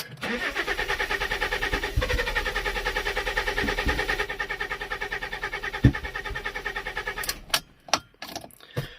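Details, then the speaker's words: Neglected Fiat Stilo Abarth not run for years, ECU confirmed fine, throttle body reconnected: rough uneven running with sharp backfire pops and a gasoline smell; spark plugs or earth wiring suspected, not confirmed. "So the ECU is not bad, it's something else. But at least I know the ECU is fine, so gonna connect the throttle body back up and see, yeah, what it will do. Let's go. Do you hear that backfire?"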